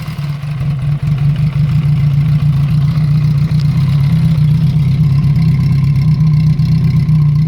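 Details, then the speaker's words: Honda CB350F four under restoration, first run, carburettors not yet tuned: low lumpy idle with rough heavy exhaust note; sounds rich with unburned fuel, and a vacuum leak is suspected. "sounds a bit rich to me actually they're getting a bit of unburned fuel coming out and it sounds like there's a vacuum leak too"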